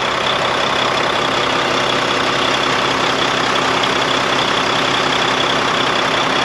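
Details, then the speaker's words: Volvo VNL truck with D13 diesel, parked about five months after hitting a deer; mechanics had left out a seal: steady, even idle clatter that no longer hunts up and down; idle now sounds normal. "and now the engine is not going up and down in the morning just chuckling like normal"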